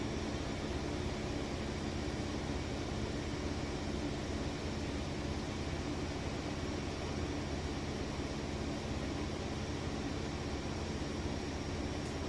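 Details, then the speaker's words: Maytag Bravos XL high-efficiency washer with a heavy load of jeans and towels, spin at about its top speed. A steady, even rushing hum with no knocking, thumping or scraping; balanced. "okay and this is I believe this is about the fastest it goes"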